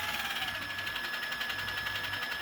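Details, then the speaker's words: Traxxas TRX4 Bronco RC truck, just after greasing the portals, transmission and axles. Steady high-pitched gear whine over a light motor hum, with no clicks or binding. It sounds a little better but still feels tight. Normal drivetrain running. "all right well we got her all greased up she sounds a little better"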